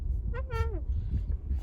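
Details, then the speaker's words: Ford Focus MK4 centre console armrest with only the first lid opened. A short, reedy squeak slides down in pitch as the lid is lifted, of varying loudness; the source latch is unknown, and the owner wonders about WD-40. "我现在发觉到一件事情，有异音。"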